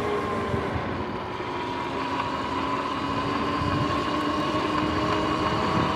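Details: Sur-Ron X electric bike riding: steady rhythmic clicking, about two to three per second, rising with road speed over the electric hum; worn chain with locked-up spots and shark-fin 14T front sprocket, time to replace chain and sprockets.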